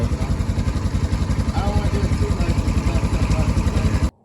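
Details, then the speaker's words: Polaris Ranger 900 XP side-by-side, hard to start, running on a chilly day: uneven, lumpy idle that stumbles, with rattling from the top of the engine; suspected timing chain rattle and slight misfire, owner also suspects valve clearances. "it definitely sounds like it's misfiring a little bit you can see it was pretty hard to get it started it kind of stumbles a little bit sometimes and there's quite a bit of rattling coming from up here that sounds like the timi"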